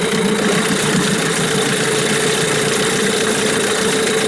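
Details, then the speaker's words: New Hangkai 9.8 outboard breaking in in a barrel at about 1/3 throttle (not even half is possible in the barrel), the gearbox running in too: steady even buzz with no knocks or misses. Engine temperature is climbing to 44°C; it runs normally. "Да, я даже не могу в бочке, конечно, да, не дашь даже полгаза. Приходится катать на 1/3. Но редуктор обкатывается."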